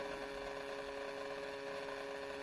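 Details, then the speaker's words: Acer Predator 17 laptop under heavy CPU/GPU load, heard at the rear vents: faint steady buzzing with an inconsistent grinding crackle, no fan rush; coil whine and electrical discharge from a faulty motherboard, fixed by replacement. "it doesn't just sound like there's a fan something gonna it sounds like a grinding it's a it's a an inconsistent grinding"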